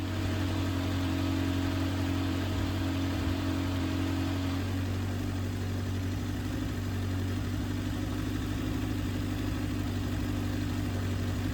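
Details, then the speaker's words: Kawasaki ZX7R during restoration, warm after carb balancing and overheating troubleshooting; steady even idle with cooling fan whirring, small reservoir rise, fan controlling temperature well; normal idle. "The bike came up to temperature nicely, and with only a small increase in the reservoir, and the fan has come on, and importantly, is controlling the temperature really well."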